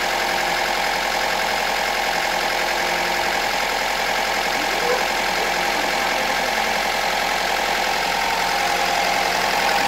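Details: 2006 Mazda 3, first start after an owner engine rebuild; even, steady idle with a busy light valvetrain chatter on top but no knocking or misfire; engine running smoothly.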